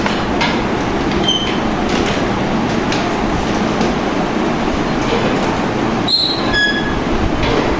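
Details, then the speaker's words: Sewing machine treadle stand, long unused and never maintained, running stiff and jammed: steady rumble with sharp high chirps from dry, unoiled pivot joints; fix is oiling the stand joints, wheel and pivots. "আপনারা দেখতে পাইতেছেন যে আমি মেশিনটা চালাচ্ছি, প্রচুর জাম। আর আপনারা দেখতেছেন যে একটা কিচির কিচির শব্দ আসতেছে। তো আসলে মেশিনটা অনেকদিন ধরে পড়েছিল, আর এটার যত্ন নেওয়া হয় নাই, যার জন্য কিচির একটা শব্দ আজ ছড়তেছে।"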